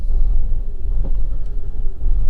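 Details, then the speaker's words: Rough idle with the foot on the accelerator to keep it from stalling: deep, lumpy, uneven rumble and shaking despite a new intake pressure sensor and cleared errors; cause of the rough running and sensor errors still unknown. "got me foot on the accelerator trying to stop it from stalling which it hasn't"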